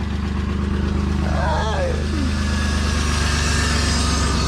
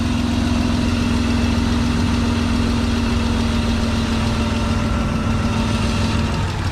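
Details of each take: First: BMW E36 convertible just after cracked oil pan replacement, fresh oil, pre-primed by dry cranking for oil pressure; smooth even idle, steady low drone, no rod knock or ticking; normal idle. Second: BMW E36 convertible after oil pan replacement, smoking from residual oil on exhaust: steady low idle with uneven hunting, wavering pitch; rough idle from vacuum leak, idle control valve popped out of loose grommet.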